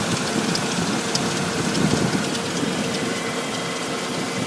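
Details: 1999 Audi S8 4.2 petrol V8 idling with a light, fast ticking over the steady engine hum; cause unknown to owner.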